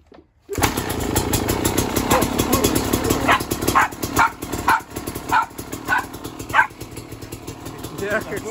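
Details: Beta RR 300 two-stroke, first start after conrod and piston rebuild, electric starter, 138 engine hours: catches after a moment of quiet, then crisp crackle with clean throttle blips, pulls up and settles evenly; normal running.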